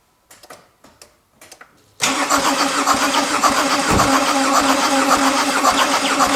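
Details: Mercedes OM651 diesel no-start, compression test during about 30 seconds of cranking: a few clicks, then steady even cranking at three to four beats per second; reading 25 bar, satisfactory (new 30, weak under 20).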